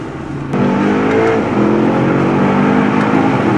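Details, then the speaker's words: Mercedes GT63 AMG (640 hp) after full engine rebuild and gearbox refit, first drive: strong, clean rising engine note pulling hard through the revs, smooth and even with no misses or knocks, no engine lights; healthy engine under acceleration. "Engine's alive, no engine lights. Sounds like a bloody beast."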